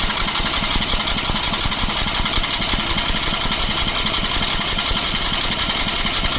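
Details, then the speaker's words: Gasoline engine on a crane parked for many years, fed from a gas can bypassing the factory tank, on jump-box power. Even starter churn with no firing while the pump primes. Cranking without starting; no fuel yet. "No gas yet. Take a minute to pump it up through here."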